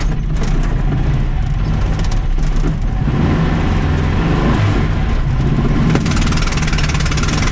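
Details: VW Baja Bug air-cooled engine with Weber 40IDF carburettor: revs ragged and choppy with a hollow, uneven chuff on one cylinder; misfire because a spark plug blew straight out of its hole.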